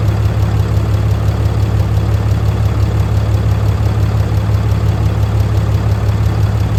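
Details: Fourth-gen truck with a 6.7L diesel, during a DIY valve adjustment: deep, steady rumble with even low pulses and no knock or tick; a clean, healthy idle. Owner notes the turbo actuator and grid heater still need fixing.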